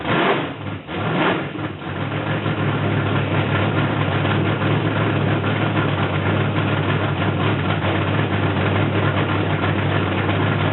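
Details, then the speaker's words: Mercury Comet drag car V8 running after 29 years sitting in a garage, carb needing a rebuild kit: cranks and catches, then settles into a steady, even, deep idle with a slight lope; normal idle. "Woke up! That sounds nice, man. Man, yeah, man. Yeah, does that sound nice?"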